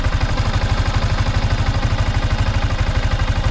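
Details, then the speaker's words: 2023 Yamaha Sniper 155R at 16,000 on the odometer idling: a strong regular pulse about three beats a second with some clatter. The owner feels the engine sound has changed from before, cause unclear. "So yun lang yung medyo napansin ko sa kanya, no, mga friends, na parang nag-iba na yung tunog ng kanyang makina kumpara dun sa dati pa."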